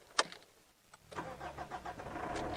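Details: Mitsubishi Triton diesel with a hard/no-start fault, battery just reconnected after dry solder joints were resoldered: short starter spin, then it catches cleanly and settles to a steady, even idle. Owner suspects other issues remain.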